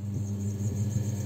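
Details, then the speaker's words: Electric motor run on 220 V through a dimmer switch, slowly turned up; an even low hum with no knocks or rattles, running normally on the dimmer speed control. "Evet arkadaşlar şu an 220 vereceğim işimize taktık ve gördüğünüz gibi yavaştan çevirmeye başlıyorum bu ses geliyor"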